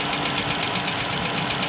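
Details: Toyota Camry XV55 2.5 cold idle during warm-up: sharp, even tapping knock about eight per second; knock of unknown cause that disappears or quiets once the engine reaches operating temperature.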